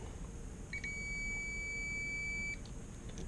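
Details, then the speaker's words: LHI 250 quadcopter build, multimeter continuity check across the board before fitting the top: steady high beep for about two seconds, demonstrating the tone a short between positive and negative would give. "We'll set it here on this setting to check and see if we have any shorts. We're all good. If there was any shorts on the board, it would sound like this when we"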